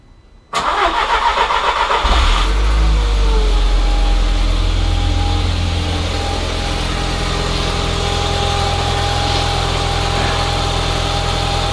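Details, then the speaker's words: Audi TT 1.8T BAM, just after repairing the alternator voltage regulator in place: a quick crank catches at once, revs flare briefly, then settle to a smooth, even idle; healthy start, and the battery then reads 14 volts, so it is charging. "So I'm going to start it up now and check to see if the voltage goes up and see if it maintains it."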